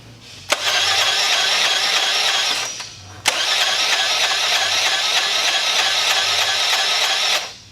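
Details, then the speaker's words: Honda CH80 Elite 80 scooter, over 11,000 miles, consumed oil, smoked and died: two long cranking bursts with light even whir, no strong compression pulses, faint clatter each revolution; low compression from a shattered piston. "now this engine is turning over but it doesn't really sound like there's a lot of compression you don't really hear the pumping boom boom as it cranks"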